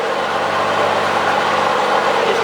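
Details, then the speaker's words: Cub Cadet 3050 four-wheel drive after front knuckle and drive modifications, steering at full lock: an even, steady running drone with no rattle from the front drive on the side that used to rattle badly. "doing fine. That's the way it used to rattle on that side. That's the side used to rattle pretty bad, but it ain't rattling no more."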